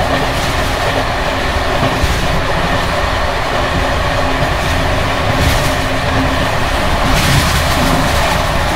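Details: Bd264 481 coach (built 1979), Görlitz V bogies with many kilometres since last major maintenance, evening express on rough line 190 near Hluboká nad Vltavou–Číčenice, heard from compartment or open window: loud rail roar, rhythmic wheel clacks, constant loose metallic chatter from bouncing worn brake rigging.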